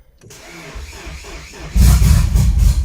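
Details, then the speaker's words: Nissan S13 240SX budget turbo build, after battery relocation and new injectors, started in minus 45 cold: fires after a short crank into a loud, lumpy, uneven idle like a big cam; running very rich. "yeah that's running really rich really really really rich sounds like it has a mean cam on it but that's so rich"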